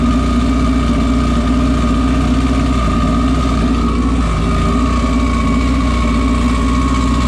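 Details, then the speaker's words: Modified race car on dyno day with a miss still audible after fresh plugs gapped at 17: loud, steady engine drone with an uneven, stumbling edge; cause unknown, compression check next. "all right so we had a Miss so I have Jamie change the plugs and get started again I still hear it"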